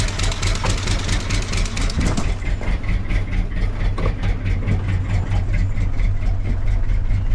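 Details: Wrecked 1974 Ford F100 V8 parked for years, preliminary run before oil change: lumpy, uneven idle with irregular misses, only halfway idles; owner says it needs a severe tune-up, probably plugs, compression and valve train unknown.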